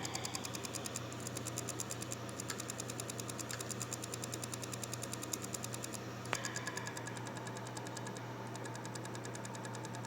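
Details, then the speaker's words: Toshiba hard drive powered on gives rapid, even ticking over a low steady hum with damaged read heads; forcing repeated power-ups is risky. "aí bom então são barulhos tipos de problema na cabeça de leitura pessoal"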